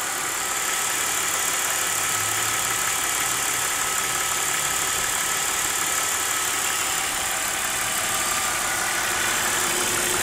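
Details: BMW E46 petrol engine at warm idle: steady idle with a light, fairly quick ticking through the hiss, appearing only once the engine is warm.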